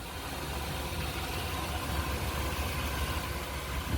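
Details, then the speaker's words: 1999 454 big-block V8 idling after new starter fitted, ignition timing slightly off before distributor adjustment: steady low rumble, even smooth beat, no knocks or ticks; normal idle. "This baby purrs."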